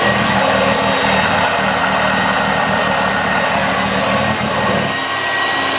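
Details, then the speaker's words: 1986 Vorwerk VK 117-1H upright vacuum cleaner running after a modification; steady motor hum with constant airflow rush, no rattles or surging, working much better. "so yes now it's working like it's it much much better then some testing"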